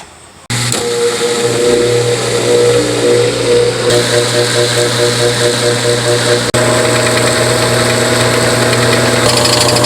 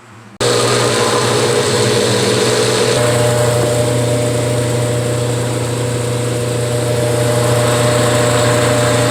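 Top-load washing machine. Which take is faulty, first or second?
first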